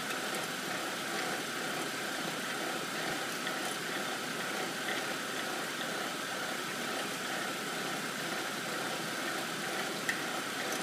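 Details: 2007 BMW 328 N52, cold engine at idle: steady light idle with a faint fast rattle/vibration that moderates or goes away once fully warm; runs fine otherwise, source undetermined.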